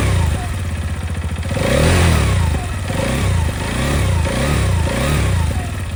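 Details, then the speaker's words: TVS Apache RTX 300 engine after a service-centre visit; it had a "kitter kitter" knocking noise when hot: uneven light ticking and clatter over rising and falling revs, reduced from before but still not refined. "Engine में से आवाज आती थी knocking sound किटर किटर किटर किटर इस तरीके की। And यह आवाज जब इंजन हीट हो जाता था तब आती थी।"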